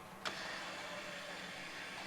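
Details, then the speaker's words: Rider scrubber during preventive maintenance, side broom switch tested: a switch click, then a smooth steady motor hum without surging; side brooms functioning normally. "Side brooms are functioning."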